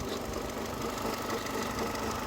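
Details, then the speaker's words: 2002 Mercedes A-Class idling after engine oil conditioner added and run a couple of minutes: light repeating knock a few per second, slightly quieter than before; mechanic found crankshaft play, cause still uncertain; knock at idle. "right the stuff is in still slight noise but we're i've had it running for a couple of minutes before i start filming this the noise has gone down a little bit"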